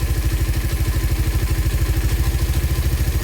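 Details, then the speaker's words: Raider 150 Fi on a stock ECU taken from another motorcycle, warm engine: even, quick low thump with no hunting or stumble; steady, healthy idle, only the clutch side slightly noisy. "Steady yung minor niya. Ang ganda ng minor, diba?"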